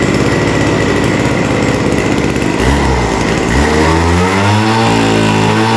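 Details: Vintage WeedEater two-stroke leaf blower, after fitting the fuel tank and routing fuel line through the grommet: loud buzz with a soggy, burbling note that wavers as the throttle opens, running rich at full throttle.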